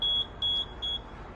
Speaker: what we're looking for right now is we're going to the alarm panel and we just want to hear beeping and we look and make sure that there's two valves that were turned